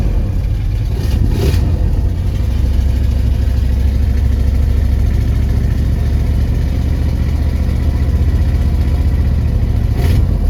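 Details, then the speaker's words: 1966 Ford Thunderbird V8, sitting for years, running on a borrowed battery with no working alternator: deep rumble with an uneven, stumbling low-end beat, like a cylinder dropping out. The misfire is suspected to come from bad gas. "Sounds like we have a misfire. That could be from bad gas."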